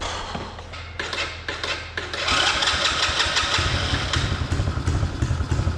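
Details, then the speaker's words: 125cc Chinese kids ATV, sat a while, after carb clean and new spark plug, on external battery: few cranking thumps, catches quickly into fast even single-cylinder idle, smoother with more RPM; normal start and idle. "that's running a lot better than it was before a lot smoother getting way more RPM out of it"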